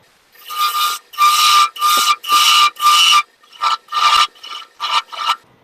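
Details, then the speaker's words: Wood lathe turning a madrone finial held in pin jaws, spindle roughing gouge cut pushed hard: repeated bursts of harsh scraping with a ringing squeal near one pitch on each pass; tool chattering and resonating against the thin spindle. "so as a rule like you'll hear me pushing hard and it you'll hear that resonance um and that's just hopefully the roughing cut i will try always to come back through and get one cut without any of that noise and chatter"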